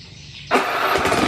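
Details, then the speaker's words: Matic scooter starter tested with the switch bypassed by a jumper: quiet, then the starter catches instantly and the engine fires and settles into an even idle; the starter dynamo is healthy, fault lies in the switch. "Oke berarti motor ini sebenarnya enggak ada masalah pada staternya kayak sopo yo dinamo yang masih bagus"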